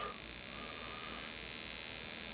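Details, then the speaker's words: Model engine ignition with RCEXL ignition powered by A123 battery through dual diode voltage reducer, on ignition tester at about 1,000–3,000 rpm, 5.3–5.4 V: steady, fast, even buzzing crackle of the spark plug firing with no skips; ignition sparking normally. "Okay so there's a 100000 RPM idle you can hear the spark plug sparking we're seeing 5.4 volts 3,000 5.3"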